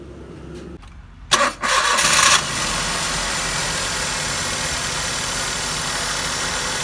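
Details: Maruti Suzuki K-series engine with a misfire at idle, also causing vibration, pickup loss and mileage drop. It cranks, catches and runs a hissy, uneven idle with an irregular stumble. The fix shown is replacing the ignition coil and spark plug.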